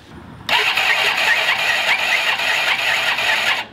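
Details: 1985 Honda Elite 150 barn-find scooter, 3000 miles; the starter whirs high and steady for about three seconds, but the engine never catches: cranks but no start, with a battery issue suspected.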